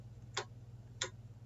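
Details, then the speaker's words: MAC Valves MI/O-67 fieldbus valve manifold on EtherCAT with an Omron controller, comms light solid: valves toggled from software give crisp, separate, sharp clicks over a faint hum, which is normal solenoid valve actuation. "So now I can toggle this bit, turn on a valve,"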